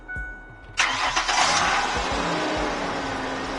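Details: 1998 Ford Explorer 4.0 that cranked but wouldn't run, after fuel pump and sending unit replacement: a few quick cranking beats, then the engine catches promptly and settles into a smooth, steady idle; starts and runs normally.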